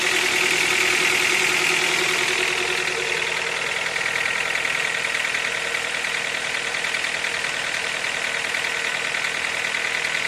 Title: Стук двигателя Аккорд 8 на пробеге 63000